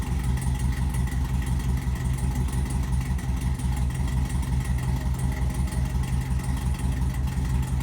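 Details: LS-swapped C10 with 5.3 V8 and Brian Tooley Racing no-springs-required cam freshly installed, first start before tune: deep lumpy idle with steady lope about three pulses a second, no ticking or knocking; healthy.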